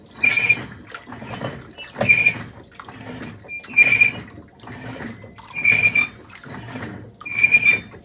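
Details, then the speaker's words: 2012 LG WM4801HWA top-load washer, about 7 years old: high chirping squeak about every two seconds as drum catches and struggles to balance and spin; clutch assembly failed after earlier impeller repair. "But I can hear the squeaking, and in a little bit you'll really see how much it struggles in terms of balancing."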